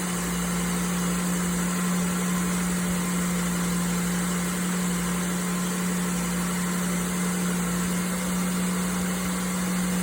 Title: Volvo C70 T5 ticking noise in cold start